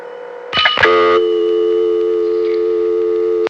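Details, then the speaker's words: Pay phone on St. John's College campus, Annapolis, Maryland, served by a number one step office: click as handset lifts, then a steady two-tone local ring on the idle line instead of dial tone; cause suspected, not confirmed. "That was a pay phone on the campus of St. John's College. Every time you'd pick it up, there would be the local ring. Probably the same phenomenon."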